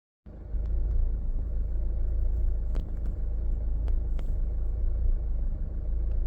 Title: Hyundai Santa Fe 2012 auto rough idle